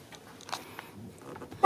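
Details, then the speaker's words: 2001 GMC Sierra crank-no-start diagnosis, fuel pump relay swapped into the horn circuit: quiet until one short clear horn toot; relay good, fault confirmed as the fuel pump. "If we put on the horn, and if we test if your car honk, meaning that relay is good. Oh yeah, it's working fine."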